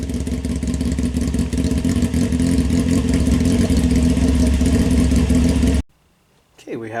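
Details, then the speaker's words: 1998 Honda CBR600 F3 four-cylinder idling through a loud, corroded Yoshimura slip-on exhaust, before polishing. Crisp, even steady beat, no rattles or misfires, then shut off: running healthy. "all right let's start this thing up too it sounds like loud exhaust"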